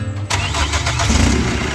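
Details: 2008 Chevrolet Captiva diesel, previously hard starting hot and cold, smoky, limited to 3000 rpm, after full cleaning with fault found in turbo path: short crank, catches almost immediately into steady, even idle, no misfire or knock; normal start.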